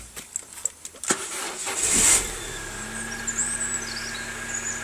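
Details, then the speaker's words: Peugeot 406 Coupe SE: quiet clicks, then the engine starts and settles into a smooth, even idle with no rattles or knocks; it sounds healthy. "as you can hear the engine sounds absolutely perfect there's no rattles there or knocks"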